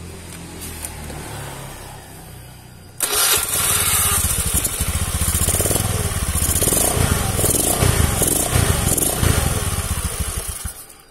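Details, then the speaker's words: Carbureted Honda Beat scooter after the starter dynamo was serviced and its ground cable tightened: fires straight away on the electric starter, settles into a steady putter, throttle blip, then shuts off; the earlier heavy starting and clicking are fixed. "tuh kan jadi gampang guys"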